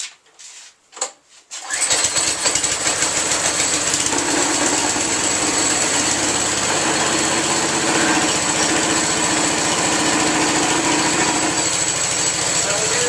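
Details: Small engine on lawn equipment unused all winter, fuel switched on, easy-start used: a few pull attempts, then it catches and settles into a steady, even, high-pitched buzz with no misses or knocks; runs fine.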